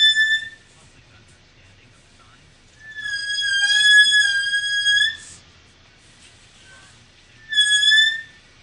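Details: 2012 VW Tiguan backing out of garage: loud high-pitched brake squeal in three bursts, only when reversing in high humidity; worsened after dealer replaced rotors and pads, dealer found no fix.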